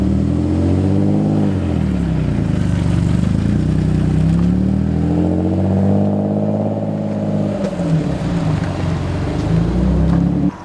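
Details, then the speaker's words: Nissan 350Z V6 after throttle body and MAF cleaning and idle relearn fixed stalling above 1,500 rpm, revved from idle to about 3000 rpm several times while warming, not overheating: pulls cleanly, never stumbles or stalls; normal revving. "it's not overheating as of right now we've been shooting up to 3000 rpms a couple times"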